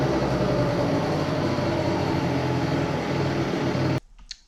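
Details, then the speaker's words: Two-stroke research scooter idling again after cylinder head work (compression ratio measured); busy, steady idle buzz holding evenly without stalling, then cut off at the end; normal idle, though intermittent cutting out persists elsewhere. "Ihme on tapahtunut. Nyt se käy taas tyhjä käyntiä."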